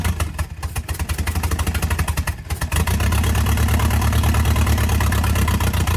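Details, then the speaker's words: 1987 Nissan Silvia S12 1.8 turbo, first start after sitting 14 years, no exhaust fitted: catches into an uneven, lumpy, wandering idle; owner suspects narrow-band lambda probe or vacuum leak, unconfirmed. "this obviously doesn't have an exhaust so it's noisy and yeah I suspect that the either narrow band uh Lambo probe or something else maybe a vacuum leak stuff like that um it's making it idle so rough"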